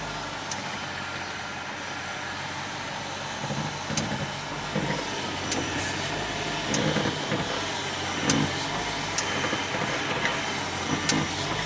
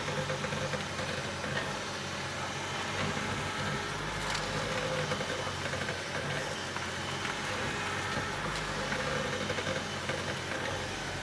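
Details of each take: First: BMW E65 750 seven series: sharp metallic clicks from the front suspension when turning the steering, also over bumps or braking, brakes on or off; caused by loose control arm ball joint nuts that needed tightening. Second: BMW E65 750 after tightening the upper control arm ball joint nuts in the front suspension: steady engine idle while steering, with the earlier metallic clicking gone.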